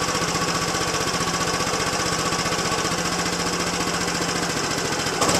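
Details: Yamaha Zuma BWs125 scooter just after installing a Leo Vince exhaust with header and O2 sensor reattached: quick, even, slightly raspy single-cylinder putter at idle with a short rev blip at the end; normal idle.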